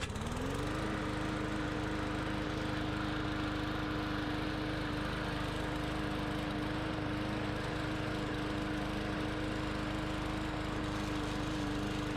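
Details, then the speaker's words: Bolens push mower with a Briggs & Stratton 125 cc overhead-valve engine, after two no-start faults were repaired, cutting soaking-wet grass: picks up quickly and holds a steady, even note with no misses or surging; normal running under load. "all right so this grass is wet it's been made and on and off all day today we had a downfall last night the grass is soaking wet and this machine went right through it"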